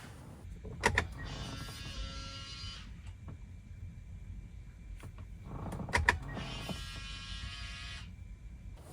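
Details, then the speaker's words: Lexus GX470 differential lock actuator after rebuild with new seals, ignition on, diff button pressed: two brief clean whirring motor runs; actuator engages and disengages, diff lock light illuminates immediately, repair appears successful. "All right, so it worked. Well, at least it sounds like it worked. We pressed the button."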